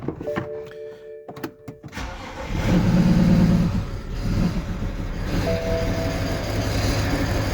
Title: Bad injectors EBAY